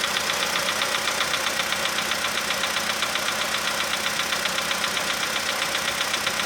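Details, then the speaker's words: 2015 VW Polo sedan cold start, engine +5°C, ambient −2.5°C: steady fast light tapping about four per second over the idle hum, fading as it warms toward 20–45°C; likely noisy hydraulic lifter, unconfirmed. "Ну нет, что-то есть еще. Но оно все меньше такое. Это холодный клапан."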